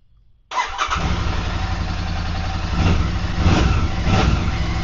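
Silence, then the engine catches at once and settles into an even, steady thump with a few light blips; it starts and runs healthy.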